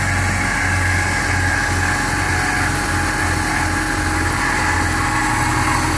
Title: Still making squealing sound - DISA Unplugged